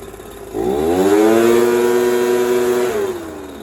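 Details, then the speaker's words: Echo PB230LN handheld blower, choke off and air filter on: climbs quickly from idle to a steady high buzz without surging, then drops back cleanly; good throttle response. "Good throttle response. Everything sounds good."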